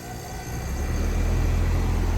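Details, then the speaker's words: Goodman AC outdoor unit after capacitor replacement: deep hum swells within half a second into a steady, even compressor drone, a clean start; before, it only hummed and buzzed then stopped, with gauges showing equal pressures. "our compressor ticking on we change the capacitor out and we should be able to look at our gauges and see a difference in pressure from the high side and the low side"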